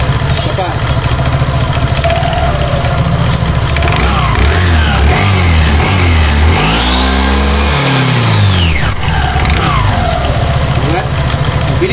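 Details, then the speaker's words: Euro Griffin 180i scooter after CVT cleaning, drive pulley, washer and nut paint-marked, test-run to check the belt: starts and idles steadily, revs up and falls back smoothly with no belt slap or drive rattle; normal running. "So ang gagawin natin ngayon, papaandarin natin para ipakita namin sa inyo kung tama yung belt, kung hindi pagpag doon."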